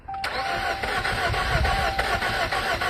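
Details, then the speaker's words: Jeep Cherokee Latitude that sat two weeks (complaint: lack of power and engine noise), jump-packed: it fires briefly, then the starter spins in an uneven, lazy rhythm with no firing. Crank no start, sounds low on compression; cause suspected, not confirmed. "I don't hear any engine noise it's a crank no start that sounds a little low on compression"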